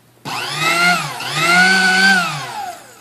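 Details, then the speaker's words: Sunbeam Mixmaster Model 12 that would not run: one brush seemed not fully seated and was sticky, so it was cleaned. The motor now spins up to a clean whine, dipping and climbing with speed, no grinding or crackle; runs properly. "so basically what it was was I took the one I took the brushes out I checked the brushes and the one brush I don't think was seated all the way"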